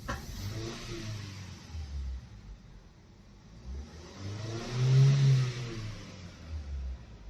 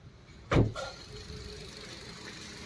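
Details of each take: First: Petrol car idling unevenly and stumbling through a rev with engine light blinking and P0300 after washing; water on the engine shorted a spark plug, causing the misfire. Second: Petrol car that misfired with a blinking check light and P0300 after water got onto the engine during washing, now fixed by clearing water: a sharp clunk, then a quiet, even idle, no longer vibrating or shaking.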